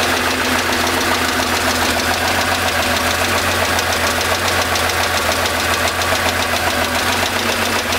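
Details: 1975 Porsche 911 3.0 air-cooled flat-six, oil level good, 30 psi oil pressure, warm idle: a sharp, steady tapping about three or four a second, constant with rpm, starting 30 seconds after cold start, traced to cylinder 5.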